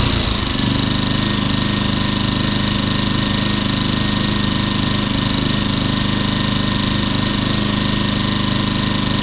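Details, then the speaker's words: Champion 2000 W 73536i generator, about 16-24 hours of use, after carburetor and idle jet cleaning and adding a fuel filter; smooth, even idle with no surging, with the economy switch toggled. "that's what it's supposed to sound like I was just switching the economy switch"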